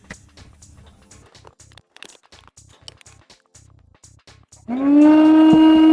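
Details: Old DustBuster after replacing dead 12-cell NiCd pack with new 18650 pack: a few handling clicks, then motor spins up to a steady, even whine with no rattle or grinding; healthy, normal motor run.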